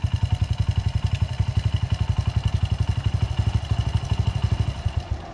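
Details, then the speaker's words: 2009 Honda CRF80F with Pro Circuit exhaust, first start after sitting, possibly on bad gas. The lumpy single-cylinder beat falters at about four beats a second and fades. It dies when the choke is turned up. "But if I turn the choke up, it dies."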